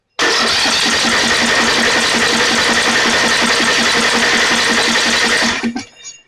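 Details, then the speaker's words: Snapper 28" riding mower, 12.5 hp Briggs & Stratton, coil confirmed good, plug wire reconnected: fast cranking about five seconds with busy metallic rattle, never fires; the rattle may be the belt and the engine probably flooded. "a lot of rattling going on there. That may be the belt, but let's give it another shot of this."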